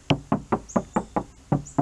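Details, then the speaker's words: BMW Z4 door panel after budget sound deadening: eight quick dull thuds that die fast with no tinny ring, a solid well-damped door; the untreated door sounds like a tin can. "sounds like a solid door now take a second to listen to the other side and you'll know why this is working every penny sounds like a tin can"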